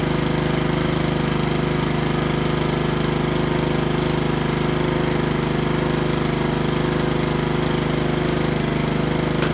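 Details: Honda lawnmower single-cylinder engine after a tune-up including carburetor cleaned twice, running with an even, steady beat at constant pitch, no misses or surging; normal running.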